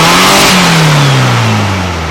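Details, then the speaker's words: 1956 VW Beetle, open exhaust pipe, distributor just timed; engine not revving properly, but with the choke applied it pulls up sharply and winds down evenly, showing it runs too lean without choke. "Alright, that's the answer. It revs up fine when I choke it. That means it's still running too lean."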